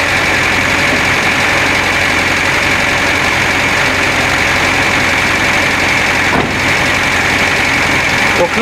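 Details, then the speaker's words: Renault Trafic engine just after an oil change with 20W50 agricultural oil: steady, even idle at the current setting with a smooth drone and no knocking or misses. The start-up clack is considered normal after the oil change. "là, comme tu entends, c'est le ralenti tel qu'il est réglé maintenant."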